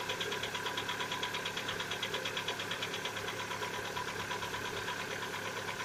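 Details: Lada Vesta, 70,000 km, cold start: a steady ticking knock at about three per second under the valve noise, lasting one to two minutes and appearing only recently. Owner says it is piston knock, not hydraulic lifters; cold start engine knock.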